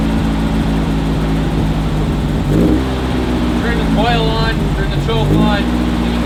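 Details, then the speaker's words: 1968 VW Beetle carbureted flat-four, primed and started via a two-wire ignition bypass: catches and runs lumpy and uneven with throttle blips; the carburetor needs adjusting, and compression is weakest on cylinder 1, so it needs rings. "we won't idle the best right now and as you can tell the carburetor needs tons of adjustments"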